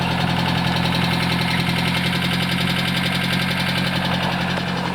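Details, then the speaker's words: 1983 Nissan Skyline RS Turbo DR30 four-door, low mileage, original turbo engine, run off a hooked-up battery. Steady idle with a faint loose ticking over the exhaust, possibly valve tick; the auction sheet had noted engine sounds. "And so when we bought this car, it was mentioned on the auction sheet that there is sounds coming from the engine, and so that was no surprise."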